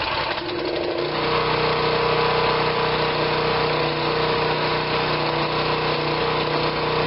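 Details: Generac 2500 psi pressure washer, small single-cylinder engine, bought not running, choke on, oil slightly overfilled with possible water in it: engine catches and settles into a steady, even run with no misses or knocks; running properly.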